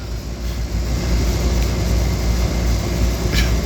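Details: Condenser with the compressor not in the middle (not over-the-top), cleaned and cooling, gives a low, even compressor and fan hum with no rattles, screeches or clicks. Compressor is rated 19.2 A; the fan motor is rated 1.7 A. Running normally.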